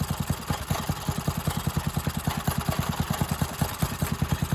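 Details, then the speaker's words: Briggs and Stratton engine on a free garden tiller, revived after not running, fresh gas: quick single-cylinder beat at steady full speed, slightly lumpy like a cam, otherwise running fine. "kind of sounds like she got a cam in her definitely don't like it very much but you're only running at full beans anyway"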